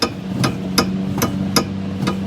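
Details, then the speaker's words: 2003 Toyota Highlander rocked up and down in the shop: sharp metallic knocks about every third of a second, a clunk heard under the passenger-side floor while driving, traced to a worn sway bar link and fixed with new links. "that's the sway bar link let's go ahead and pull the tire off and we'll get a look at it"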